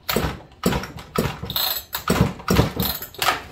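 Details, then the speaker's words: Broken-in chainsaw, cord pulled over: seven crisp sharp thumps about half a second apart; good compression pop as rings seat, unlike a brand-new build. "so this thing will pop more once it gets more time on it okay like this i hope you guys can hear this okay you hear the difference in sound it's more of a sharp thump thump"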